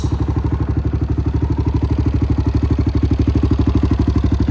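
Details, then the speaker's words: 2008 Honda TRX700XX fuel-injected ATV, after a new flywheel was installed and it was reassembled: steady, even single-cylinder thump at a settled idle with no misses, knocks or rattles; a normal clean idle. "put it back together and she fired right up sounds pretty good go ahead and listen to this baby purr fuel injected"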